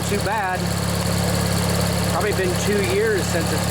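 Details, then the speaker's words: Old Montgomery Ward/MTD riding mower, 16 hp Briggs & Stratton flathead opposed twin, after replacing the worn starter motor. Steady, even idle, no knocks or misses, some smoke and water from the muffler. Runs normally. "man it runs good glad to hear that i think that was the problem folks just that old starter motor there was just worn out"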